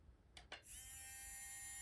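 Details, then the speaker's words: Stock ceramic-magnet brushed motor from a Mini-Z 4x4 crawler, reassembled and run on a bench power supply at 4.8 volts, held in fingers: steady, loud, high whine at constant pitch; normal motor whine, louder than the PN Racing SCX24 90-turn upgrade motor. "you can hear how loud that is it's sitting in my fingers right now i don't know if you can detect it on camera but uh to my ears this sounds significantly quieter which is going to be pretty nice too"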